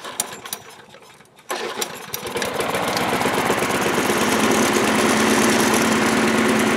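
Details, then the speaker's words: Discarded lawn mower, thrown out apparently for a broken drive cable, running on fresh fuel: catches on the pull and settles into a strong, steady, even running note with no misses or surging; runs fine. "runs I'm gonna put some gas in it but the fuel that's in it is fresh it doesn't smell funky or anything"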